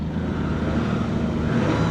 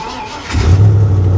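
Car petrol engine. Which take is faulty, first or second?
first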